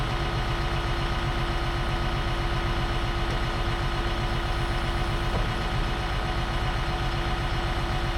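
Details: Brush cutter (bat wing) on a tractor after fitting a replacement aftermarket gearbox: steady deep rumble with cutter spinning evenly, soft regular beat about two a second, no knock or grind; running right.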